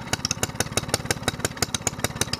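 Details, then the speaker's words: SPS longtail mud motor, stored under the boat all winter, run dry of fuel then primed, first start of 2015 with choke: crisp evenly spaced firing pops at quick idle, slight clatter, little smoke; normal idle after storage. "Almost sounds like a four-wheeler. He's alive! He's alive!"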